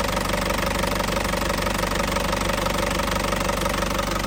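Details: 2007 Isuzu Panther LS Turbo diesel, 98,500 km, warm engine, no smoke from oil filler or dipstick: steady even idle clatter with unbroken rhythm, no knocks, healthy smooth diesel idle.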